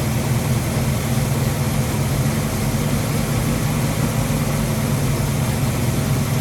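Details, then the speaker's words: Ford 289-based 331 stroker V8, first start after rebuild: tapping noise gone but idle rough and lumpy; distributor reinstalled by eye, timing probably off, owner plans to check with timing light. "okay the tapping noise is gone so that's uh good job um it's not idling well so i need to hook a timing light up"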